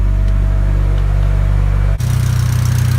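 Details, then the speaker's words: Hyundai Genesis exhaust leaking again, heard just after start-up at idle: loud, deep chuffing pulses about three or four a second, harsher than a sealed system; owner plans to fix it when getting it tuned. "I'm pretty sure you guys can hear that, but it's leaking again. So I'm actually gonna get it fixed when I get it tuned, so you guys can hear how loud that is."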